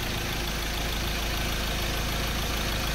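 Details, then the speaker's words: 2003 Ford Ranger automatic restarted hot after running 45 minutes. The previously hard hot start was fixed by cleaning the camshaft sensor. It now starts without long cranking into a steady, even idle with no stumble or hunting. "Ayan po mga kalbaryo umaandar na ang makina at wala ng long cranking"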